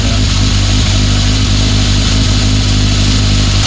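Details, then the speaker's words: 1976 Honda CB750F1 four-cylinder idling after carburetor balancing, with a rattly chatter over the beat from a worn primary chain. The noise goes away when revs are raised to 2000; target idle is about 1200. "You're never going to get rid of that noise, the chain's worn. But again, like I said, you pick it up to 2000 and the noise goes away."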